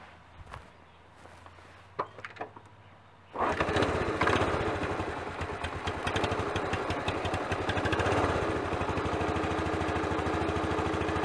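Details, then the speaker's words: Honda CT110 12-volt single-cylinder after head gasket replacement and valve clearances set to 0.002 in (0.05 mm) cold: engine starts and settles into a smooth, steady idle, tapping noise gone. "and I think you'll agree tapping noise is gone the engine sounds much much better Happy Days"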